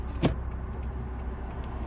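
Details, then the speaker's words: 2007 SsangYong Rexton diesel idling in drive after treatment: low steady hum, no rising drone, light clicks, rpm slightly lower than before, normally louder in drive than neutral; normal idle in drive. "원래 드라이버 딱 들어가면 더 커요. 중립보다. 그렇죠, 우웅하고 올라가죠. 근데 지금 거의 네. 괜찮아져요."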